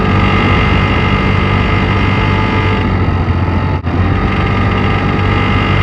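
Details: Piaggio X9 500 maxi scooter engine running steadily with a light, busy metallic chatter over the low drone; timing chain / chain tensioner noise suspected.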